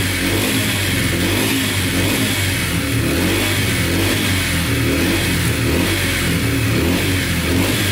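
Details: Yamaha TTR125 dirt bike (believed 2003) after top and bottom end rebuild, following engine damage from running out of oil; crisp revving rising and falling cleanly, no tick or clatter; runs and sounds really good.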